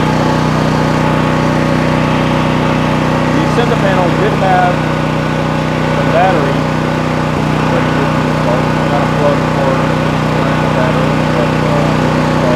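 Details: New Troy-Bilt XP 7000 W generator with Briggs & Stratton engine, first start on ethanol-free fuel with added fuel filter, before break-in: loud, steady governed drone at constant pitch, no misses or knocks; normal running.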